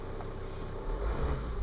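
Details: Volvo V50 D5 SE, Euro 4 2.4 L five-cylinder diesel with DPF, during EGR valve repair (limp mode, codes 4450, 44D0): steady idle swells smoothly as revs rise with throttle while EGR closes, no knocks or rattles; healthy engine.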